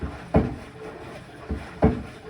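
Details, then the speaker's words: Kenmore Elite front-load washer, model 110.42922200, in diagnostic mode: heavy dull knocks about once a second over a low rumble from worn drum bearings. "This one is making a knocking noise because the bearings are worn"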